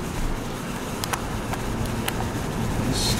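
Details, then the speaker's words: Pontiac Montana minivan on a highway test drive after replacing the passenger front wheel bearing: steady road rumble at speed with no growl or rising drone; the previous day's noise is gone; normal wheel bearing. "Sort of a go for a tear up the highway here and see if we can hear it doing the like it was yesterday. Don't kind of think so."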